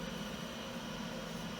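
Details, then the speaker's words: 1987 Compaq Deskpro 286 hard drive, revived after not spinning up: steady low hum with faint constant spindle whine, no clicks or scraping, quiet for an 80s drive; normal running. "the hard drive is pretty quiet for an 80s hard drive that that's not bad at all"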